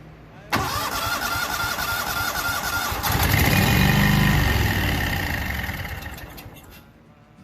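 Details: Walker mower engine that was backfiring through the carburetor, test run with valve cover off after a repair: catches at once and runs with an even, steady beat for several seconds then winds down; no carburetor popping, sounds healthy.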